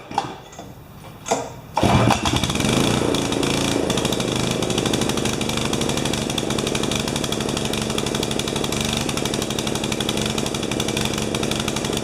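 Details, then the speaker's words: 12 HP Swisher bush cutter engine with a piece missing from the carburettor; after a couple of pulls it runs ragged and uneven with an irregular stutter, running rich; float level in carburettor suspected too high. "sounds like it washed it's running rich letting itself yeah they used a bit"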